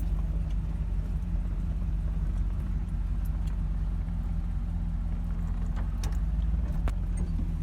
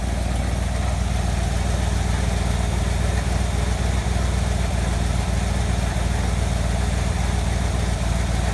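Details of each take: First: Chevy Cheyenne C20 Trailering Special V8 after new Edelbrock 600cfm carburetor and replacing the water pump with a bad bearing: deep, steady idle with no grinding; runs smooth and healthy. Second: Chevy Cheyenne C20 V8, started after a couple of throttle pumps: lumpy, uneven idle that loses rhythm and nearly stalls; it runs well at speed but sputters and dies at idle. Rough idle, cause unknown.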